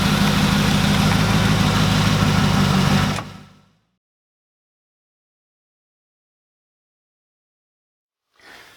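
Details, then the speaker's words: 1993 Corvette C4 donor, 76k miles, LT1 V8 with 4L60: steady, even idle for about three seconds with no knocks or misses, then the engine shuts off. It ran and drove before later failing. "as you saw in the video this thing runs and drives or it did anyway"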